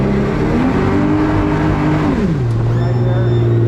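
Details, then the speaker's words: 2018 Alumiweld 23 Super V tiller boat with F250 jet outboard, underway in gear: engine note drops sharply and goes low and hollow as the jet loses water grip; cavitation from trim set too high, fix is trimming the motor down. "If you ever hear that, trim that motor down."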